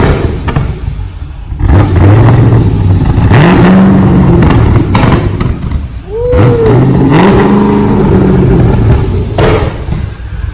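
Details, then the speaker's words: LS V8-swapped wrecked Mazda RX-7 FD, first cold start after rebuild, no radiator or cooling system fitted: deep lumpy burble swinging with throttle blips amid some thumps and clatter, pulling cleanly; running kind of rich, flames and smoke. "I just seen some flames. Man, this thing sounds like a mini Corvette."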